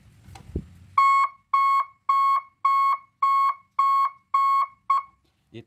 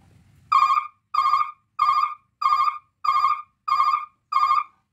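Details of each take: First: Three-tone reverse alarm on a 24 V truck (12/24 V unit): clean high beep, about one second on and half off, repeating near two per second; working normally. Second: 24-volt truck three-sound reverse alarm tested on the bench with the yellow wire connected: seven even beeps around 1 kHz, roughly 95 a minute, clean; the brake-warning tone.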